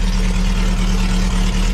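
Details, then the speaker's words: 1969 VW Beetle Baja Bug, air-cooled flat-four, carbureted, cold start after sitting a few weeks with a couple of pedal pumps. Even, steady idle, smooth low drone, no misses or knocks. Normal idle, turnkey reliable. "unbelievable this thing is TurnKey reliable"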